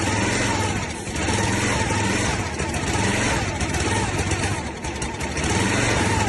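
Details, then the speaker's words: Log splitter's small single-cylinder engine, sitting about 5 years, running on brake cleaner after a carburetor rebuild: rapid, slightly uneven beat with a few dips, but firing steadily. "it's Straton boys we got her going five years of sitting in the woods"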